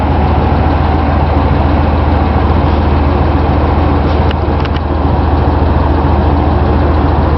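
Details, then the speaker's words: 1955 DeSoto, revived after sitting in a field, at startup idle: a steady low idle with a faint light tick riding on top at engine speed; the owner thinks it's a sticking lifter. Blue smoke from the tailpipe was also reported. "You can probably hear that tick. I think it's got a sticking lifter."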